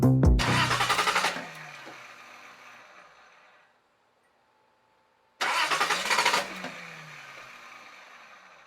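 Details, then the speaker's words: Datsun engine fires twice, stumbles unevenly and dies each time because of vacuum leaks. Cracked, taped hoses were found, including the larger hose into the intake manifold from the turbo inlet pipe. "so you heard how the car sounded it sounded horrible I couldn't even keep it started"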